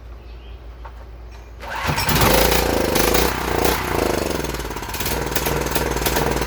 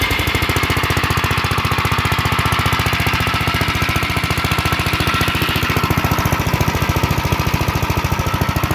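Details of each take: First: UST 3500 W generator, run on fuel squirted into the carburetor: quiet, then catches and runs lumpy and uneven; it runs and puts out power but the clogged carburetor is to be replaced. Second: Gravely 7.6 hp single-cylinder mower, not run in years, with fresh fuel, a new battery and a replaced choke cable: chugs with a steady, even beat and no misses before shutting off. Runs healthy.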